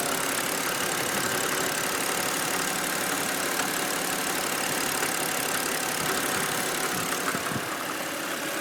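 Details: BMW N52B25 inline-six idling: faint, uneven tapping about three times a second under a hissy top end; knock at idle of unclear origin, owner seeking the source.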